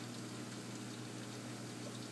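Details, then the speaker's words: Aquarium automatic water change: the pump comes on, adding salt water to the main tank via the chiller line. Steady low hum with water rushing and bubbling, even flow, no rattle or surging. Normal running. "And you just heard that noise. That was the pump."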